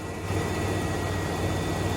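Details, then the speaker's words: 1993 Ford F-150 V8, warm, after throttle position sensor replacement: low, even rumble holding dead steady with no surging or pulsating, fixing the earlier searching, up-and-down idle; normal smooth idle. "So that fixed it. It's warm now. Steady idle."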